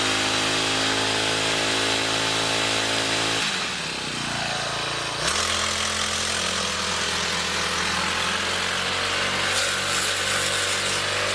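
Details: Two-stroke grass cutter after fixing vibration under throttle by removing wood debris from the blade seat and reseating and tightening the blade; drones evenly at high speed, dips briefly and recovers cleanly with no shudder or rattle; runs smoothly.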